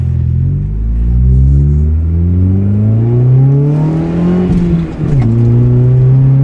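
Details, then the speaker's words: 1989 Honda CRX DX, rebuilt D15B2, about 248,000 miles, under 500 miles since rebuild, glasspack exhaust: engine note climbs cleanly under hard throttle to 50 mph then settles on lift-off, no knocks; strong, healthy pull. "and there we are at 50 we're back off so the engine's strong as you can see"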